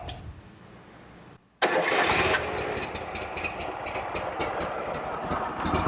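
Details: Bobcat Predator Pro zero-turn with a Generac engine that was losing power and bogging in tall grass, after tracing the fuel line from tank to filter, pump and carb. At max throttle with choke on, a short crank catches at once into a steady, busy run with no stumble; starts and runs properly.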